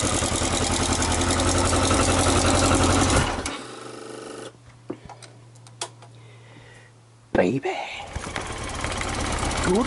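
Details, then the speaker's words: Yamaha XJ900S Diversion four-cylinder: ticks over evenly at idle, stops, then fires straight back up and settles smoothly; healthy normal idle. "Miss Molly so as you just see it sounds pretty awesome first time when it started"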